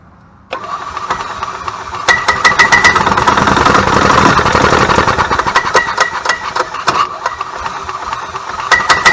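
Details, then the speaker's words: 1998 Club Car DS petrol golf cart pops and skips irregularly, surging but never picking up to a steady run; ignition misfire, with the ignition coil/igniter as the part used in the repair. "quick all right so you can hear how it's trying to pick up and run but it won't trying to pick up and run but it won't"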